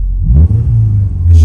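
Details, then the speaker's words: Neglected Subaru: deep, loud booming rumble swelling when revved, far louder than stock; owner suspects an exhaust leak somewhere. "this car is supposed like supposed to have exhaust on it you can tell it has exhaust on it but I think there's a leak somewhere because it shouldn't sound"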